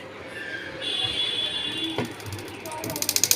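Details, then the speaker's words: Blower-type room heater, heating normally: steady fan whoosh with a quick run of light clicks coming and going near the fan blades; something loose striking the fan blade. "यह देखिए guys कुछ अंदर इसमें पंखी के side में कुछ किसी चीज की आवाज आ रही है"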